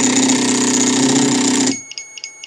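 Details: Biqu B1 3D printer homing X axis: loud buzzing, grinding rattle as the stepper skips steps with the carriage jammed against the end, then stops abruptly; cause was a bad X endstop not triggering, fixed by soldering on a new endstop.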